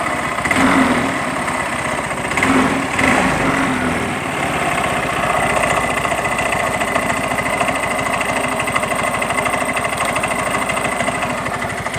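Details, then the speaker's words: Yamaha Mio M3 125 scooter, CVT case: after throttle blips, rough fast tek-tek ticking from belt/CVT and fan side at idle; caused by worn pulley splines from running without CVT grease. "Di bagian bak CVT-nya di sini, ya, bunyi tek tek tek tek juga, ya. Oke, dari bak mesin sudah kedengaran."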